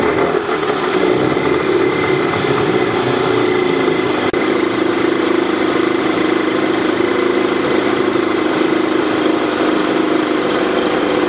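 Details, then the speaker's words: Outboard (1988 Evinrude 55 HP commercial) running at constant speed: steady mid-pitched drone, no knock or squeal; temperature reading 224 to 233, running hot, not peeing properly; occasional spark and suspected frayed ground also noted. "she's definitely running hot 224 right there 233 so she is not peeing properly"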